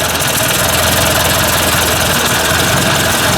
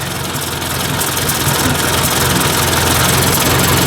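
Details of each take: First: Ford 800 tractor warm-up after a fuel tank install: steady idle with a rhythmic puff from an exhaust leak, plus faint tapping the owner puts down to slightly worn main bearings. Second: Ford 800 tractor idling after warm-up, thermostat open: steady, even low chug of about three and a half beats a second with no stumble or knock; a small leak is still heard; healthy warm idle.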